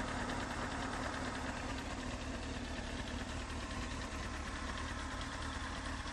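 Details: Honda CBR954RR idling: steady idle with a fine, fast, even tick about two a second; louder when very hot and rising with rpm, heard most at the front near the exhaust manifold; source unknown.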